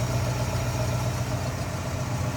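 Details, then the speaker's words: 1964 Mercury Comet Caliente convertible, Ford V8 with carburetor, engine bay open: steady, even low rumble with regular firing pulses and no knocks or misses, a smooth-running, healthy V8 idle. "Again, smooth runner. You can see and hear that."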